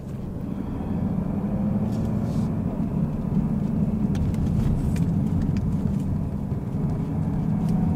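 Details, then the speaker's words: 2018-2019 Mustang GT (Bullitt) Coyote V8, in cabin, first gear slowly at 1200-2000 rpm light load: faint tick over engine drone, owner thinks lifter tick; before adding Ceratec. "So do you guys hear that? That is the tick that I'm talking about. That is what the car sounds."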